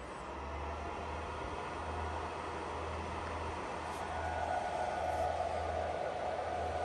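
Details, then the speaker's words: iPollo G1 Mini ASIC miner after replacing worn original 60mm fans, reassembled in enclosure: steady loud rushing whoosh, louder than other ASICs but previous grinding gone; normal fan running. "so certainly a little bit louder than our gold Chow Asics but definitely tolerable and we got rid of that grinding sound which was driving me crazy"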